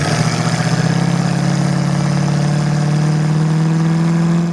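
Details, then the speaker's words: 1968 Ford Mustang, 302 V8 with Holley Sniper EFI and automatic, warm: a smooth, even V8 note that climbs steadily with throttle, no misses or knocks; healthy. A rattle heard on hard throttle is from under the dash, not the engine. "Pop it in. Rev it up. Sounds good."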